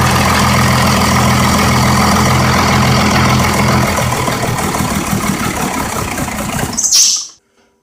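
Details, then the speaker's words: 1990 Dodge W250 first-gen Cummins diesel, just after an oil and filter change with stop-leak oil. Starter churns steadily for several seconds without catching; fuel drain-back suspected. "right try to for some reason the fuel must have drained back try again"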